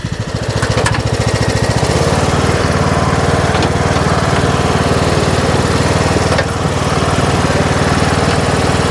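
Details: Troy-Bilt Pony riding mower, revived from scrap after electrical and steering repairs, mowing passes testing the deck: even, steady single-cylinder beat with blades spinning, no misses or knocks; runs excellent, normal.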